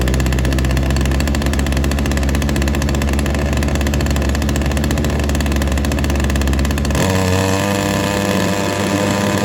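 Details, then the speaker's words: Ryobi SS30 multi tool two-stroke that wouldn't start, after a complete carb tune: buzzes at a steady, even high rate, then drops cleanly to a lower idle with no sputter or hunting; sounds better, running properly. "I think that sounds a little bit better now"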